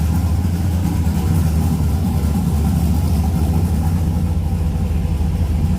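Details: 6.0 LS-swapped second-gen S10 with a new turbo, breathers not yet connected, loud, deep, lumpy V8 idle with uneven pulses; rough rich running, owner says it still needs tuning.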